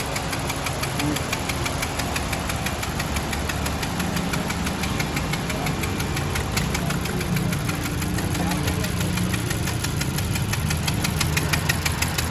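Quick, steady knock of about three per second over the idle, sharp and metallic; an internal knock whose cause still needs tracing.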